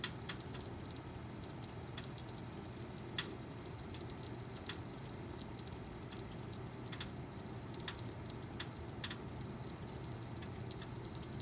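Sharp, irregular ticks and crackles pop every second or so over a low steady fan hum; an intermittent crackle from inside the PC, cause unknown.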